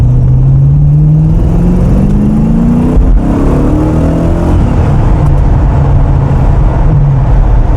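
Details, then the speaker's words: Tuned 1993 TVR Chimaera 400 V8 with Rover gearbox, revved during a test drive. Revs rise and settle with a fast ticking over the exhaust note that speeds up with revs and makes the indicators sound strange. Significant exhaust manifold gasket leak. "wow that's not good it really is quite significant tell you what it says something when it's ticking to the point that it's in it's like making the indicators sound [Music] strange"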